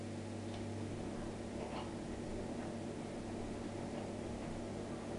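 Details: Miele dishwasher just started on the Normal (65) program with a load in: a steady low hum with a few soft, irregular clicks over it, a normal start of the cycle.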